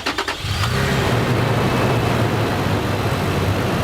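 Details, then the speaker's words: Used vehicle with 4,603 miles on cold start: catches quickly and settles into a smooth, even idle with no diesel-like clatter; no engine problem. "no it doesn't sound like a diesel this one didn't have a problem"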